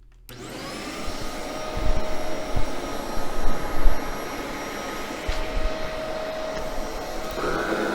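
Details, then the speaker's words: Bissell 1306 Multi-Cyclonic swivel upright vacuum after cleaning maintenance: steady, even motor hum with a constant whine and no rattles or surging, motor running much better, normal running. "actually sounds like the motor is running better too much better"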